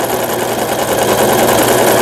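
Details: Brother XL5500 sewing machine after a full repair for a bent needle bar. Stitching a wide overlock zigzag at width 5: fast, even needle chatter with no knocks or binding; running normally.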